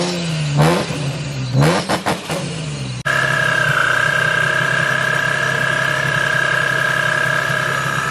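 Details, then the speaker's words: Nissan G35 with a Vortech supercharger on a base map, GTM pulley mod: engine blips cleanly then runs steady with an even, high supercharger whine; owner notes pulley and belt-squeal issues, but it sounds healthy so far. "i'm gonna see how it sounds once i start doing like downshifts and stuff like that but it sounds so far so good"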